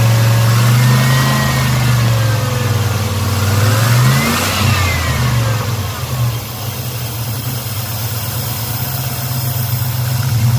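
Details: Black Pearl pickup V8 after a completed TBI throttle body rebuild, which the owner says seems healthier: a quick rev, then a steady, even low idle with no knocks or misses. Normal idle.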